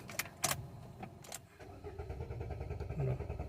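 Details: Renault Duster petrol automatic, sometimes won't start after a short drive: a few clicks, then the starter churns at a steady, even low rhythm without catching; long cranking.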